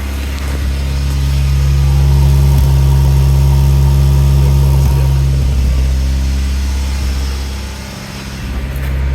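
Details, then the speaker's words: 1989 Honda CRX Si, 5-speed manual, no catalytic converter, cold start: catches with slight belt squeak and settles into fast, steady idle around 2000 rpm that stays raised; high cold idle. "It idles kind of high. Cold start, idles at about $2 grand."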